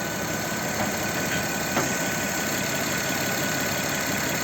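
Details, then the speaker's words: Audi Q7 3.6 FSI VR6 direct-injection after repair of a suspected timing chain rattle under throttle: engine running quietly with no chain rattle or ticking, only a faint hiss from a leaking muffler. "ребята Как видите машина стоит уже стоит заведенная двигатель работает тихо слышно только как сифонит один глушитель где-то такой что-то пропускать это ну а так берите работает очень тихо"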